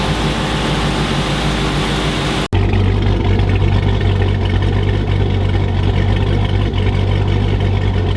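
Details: 2006 Chrysler 300 SRT8 6.1 Hemi at first startup after a stage 2 cam, valve spring and retainer install: deep, steady idle with a lumpy cam rhythm after a brief dropout; even running, no knocks or misses, healthy engine.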